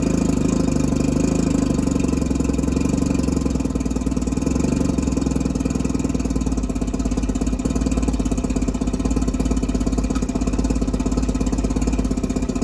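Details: Mercury 650 outboard on a boat, first start after purchase, unrun since being winterized in 2017, water turned on and jump-started from a truck: an even, rapid putter of about three firings a second with no misses or knocks. Running normally.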